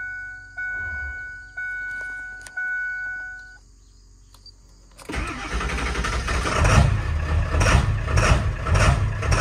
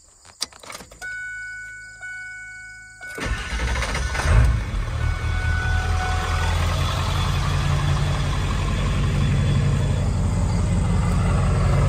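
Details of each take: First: 7.3L Powerstroke diesel truck, cold start first thing in the morning: chimes, then cranks, catches and bucks, shakes and cackles with irregular surges before smoothing to idle; owner suspects injector o-rings, and the ICP sensor is new. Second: 7.3L Powerstroke diesel truck restarted warm after a 10-mile drive: brief crank, catches cleanly, settles into steady deep idle, smooth with no surge; contrasts its rough cold-morning hard start, owner suspects injector o-rings.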